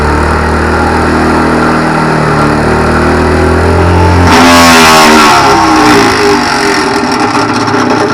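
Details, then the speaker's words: Homemade ATV flail mower, small engine, unbalanced flail shaft spun up: engine pulling under load, then sudden harsh rattling clatter first mistaken for bearing failure; bolts had loosened, too short to reach locking thread. "Right, that wasn't the bearing, that was these bolts had come loose. They weren't quite long enough to grip the thread at the locking thing at the back."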